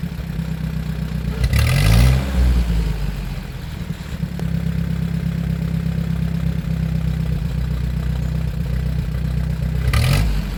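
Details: 1947 Ford 8N tractor after adjustment, driving through the gears: steady low drone with clean pickup, no coughing or stumble; smooth running under load.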